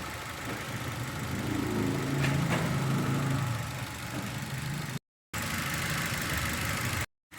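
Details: Petrol engine idling unevenly with an irregular low stumble, a rough idle with misfire. Tests show compression leaking in several cylinders, most clearly at high rpm.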